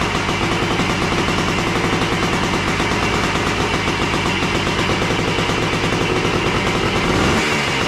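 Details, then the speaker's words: Yamaha AT3 two-stroke, started by kick after ignition coil replacement, fed from a hose with gas, no kill switch: rapid crackly beat runs steadily without dying, previously died after 20-30 seconds; normal running. "Did we use up all the gas? Looks like it seems like it's going to run."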